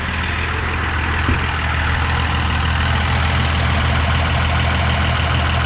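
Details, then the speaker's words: Diesel service truck idling after first start following a transmission swap from another truck, with 6 quarts of fluid in: steady, even, smooth low rumble with no knocks or grinding. "Fantastic. No weird noises, no grinding."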